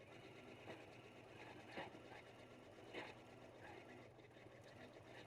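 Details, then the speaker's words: Janome 9480 doing free-motion stipple quilting with optional ASR stitch regulation, which automatically dropped the feed dogs and adjusted tension. Quick even needle chatter with light clicks over a steady motor; stitching nice and even, machine running normally. "the stitching is great it's nice and even and the Machine has taken care of all of the adjustments for me automatically"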